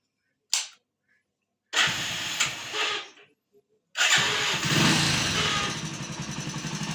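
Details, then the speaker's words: Hero HF Deluxe BS4 motorcycle after an engine rebuild with head work and new valves: a few short bursts, then the engine catches and settles into an even, quick idle with a light ticking beat; healthy start. "তো দাদাভাই গাড়ি আমাদের সম্পূর্ণ start হয়ে গেছে"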